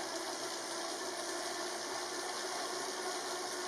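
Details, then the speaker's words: Elite Drivo trainer recorded on the camera mic while ridden at about 20 mph. Steady, even whirring hiss with light chain noise from the bike's drivetrain and no knocks or grinding; a normal, fairly quiet trainer. "As you can see, it's fairly quiet. It's not too bad. You're probably hearing more of the gear drivetrain from my bike than you are necessarily from the trainer."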